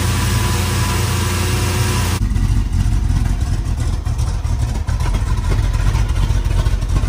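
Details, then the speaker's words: 1968 Suburban with 5.3 LS V8 swap after cam sensor, wiring harness and loose ground fixes: deep, steady idle, even beat, no knocks, stumbles or misses; running great. "all righty y'all that thing is running great it's definitely the best it sounded up to this point so we're really happy"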